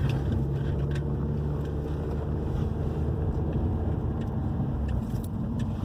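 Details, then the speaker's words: 2011 Hyundai i30 2.0 gasoline, road test on the same irregular street after replacing stabilizer bar bushings and both end links for a suspension knocking complaint: steady road rumble and tire noise, no clunks over bumps. Suspension now quiet. "Eh, já viram o comportamento do carro já mudou, ó, já parou o barulho, tá?"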